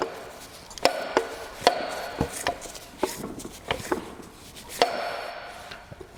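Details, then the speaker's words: Non-running petrol engine being turned slowly by hand: sharp, irregular metallic knocks from a loose, worn connecting rod bearing, i.e. rod knock. "that noise is a rod knock basically your car will be idling you'll hear this"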